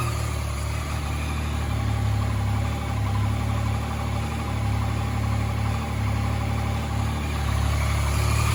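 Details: 2014 Yamaha MT-09 three-cylinder at idle: faint, uneven light ticking about four times a second, a clicking noise noticed on a ride, cause unknown.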